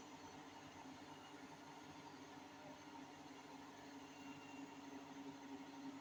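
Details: Hotpoint 8kg NSWM 843C Invermotor 1400 washing machine winding down after a 1400 rpm spin: quiet steady drone with a rough rumbling undertone, drum bearing rumble from worn bearings; owner has repeatedly flagged the problem and a call to Hotpoint is planned.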